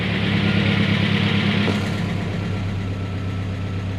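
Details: 1993 Ford Ranger engine first run after repair, cold, oil pressure good and charging; even, steady low rumble, running much smoother with no misses or knocks, oil burning off exhaust; normal idle.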